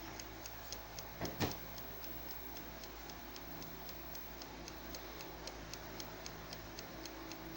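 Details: Faulty ILO air fryer, recorded for a warranty claim, set to 200 °C with the timer on: only a steady mechanical timer tick, about two per second, over near silence. No indicator light and no blower or fan sound; fan not running.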